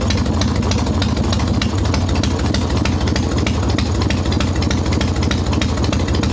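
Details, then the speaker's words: Harley Evo Softail V-twin, ice cold, after fixing loose intake bolts, cracked vacuum cap and idle speed screw: even, steady potato-lope idle about three beats a second, no hunting or stumbling, on untuned mixture screw; normal idle. "this is what it's supposed to sound like idle returns like it's supposed to this is an ice cold motor too"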